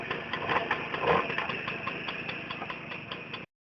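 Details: Tomos moped small two-stroke running with a light, uneven metallic rattle at roughly two per second from a rattling clutch, before the clutch rattle fix.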